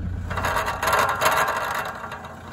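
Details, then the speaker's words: Driveline clunk check (inner joint good, outer joint suspected): scraping, rattling grind swells and fades as drive is selected with engine running; vehicle then slides backwards, won't drive. Broken outer driveline joint suspected, not confirmed. "Wow have a look at that all right here we are engine running let's select Drive oh that doesn't sound"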